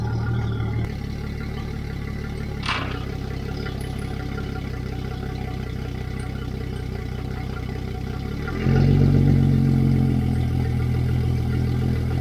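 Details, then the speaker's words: Yamaha F225XB outboard newly installed and rigged on a 21 ft pilothouse boat, fresh 20W-40 oil, running out of the water: steady even low rumble then smooth step up in revs, no knocks or misses; running cleanly. "Alright, it's running perfect. Everything is done on the engine and it's ready to go."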